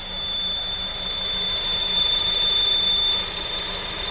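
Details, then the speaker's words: Honda engine bay whine at idle and revving, first thought to be a pulley (crank, A/C compressor, alternator suggested): thin, steady high whistle; owner says it is not fully pulley-related, exact source not yet confirmed. "to show you the fingers crossed diagnosis of the whining noise that was coming from the engine bay that we thought was a pulley"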